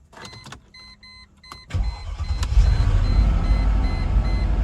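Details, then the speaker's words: 2002 Mercedes-Benz CLK 430 AMG V8 cranking and idling lumpy and uneven with a bad misfire; codes show misfires on cylinders 3, 1 and 5, and the owner is trying new coils. "All right, so if you remember that this car had a very bad misfire."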